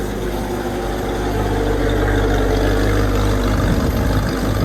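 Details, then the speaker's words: 1965 Ford Mustang coupe with swapped 289 or 302 V8 (owner suspects 289), heard from the rear at idle after a cold start following a week unused: even low burble with no knocks or misses; sounds healthy. "it doesn't sound too bad back here either"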